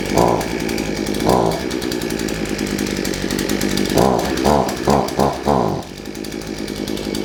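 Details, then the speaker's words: Shindaiwa AH242 hedge trimmer two-stroke, brought in for only accelerating when choked, just started on choke: idles steadily, snaps up cleanly through quick throttle blips and drops back to an even idle; normal running. "put it on choke give it a minute to warm up starting on the first pole is a good sign oh"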